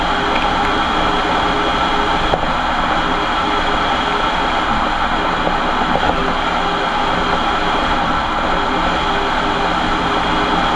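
A loud, steady roar rides over the road noise while driving, which fits a worn rear diff on this van.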